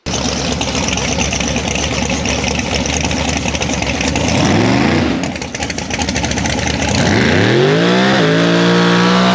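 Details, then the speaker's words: Nitrous Fox-body Mustang (four-eye) at the drag strip, burnout: loud roar sags and breaks up midway, then recovers; stumble under load, low power, cause unknown, ignition all new so thought unlikely; runs fine on motor. "And you'll see the car stumble. You'll hear it in the burnout. It sounds kind of funny. And then it kind of goes away, and it didn't really have power to do a burnout."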